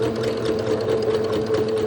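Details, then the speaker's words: Sewing machine stitching elastic shirring lines, with a fast steady whirring hum and light clicking; she thinks the needle may need changing. Clicking possibly from a dull needle, not confirmed. "Maybe I need to change my needle. My needle sounds very sad. Did you hear how it was clicking?"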